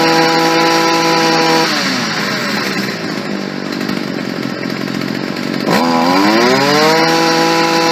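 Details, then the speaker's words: Stihl FS 55 R trimmer after a carburetor install, during final adjustment: the small two-stroke revs up and drops back in a steady high buzz that bogs and hesitates off idle. Lean low-speed mixture, so the low-speed jet is richened slightly. "A little bit sluggish on the low end still. I'm going to richen the low speed jet just a little."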